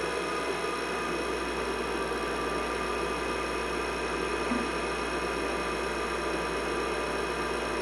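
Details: IBM 5150 PC (1982) with 10 MB IMI hard disk, upgraded power supply, NEC V20 CPU, first power-on after cleaning and reassembly: steady even hum with faint high fan and disk whine, nothing irregular; running normally, blinking cursor.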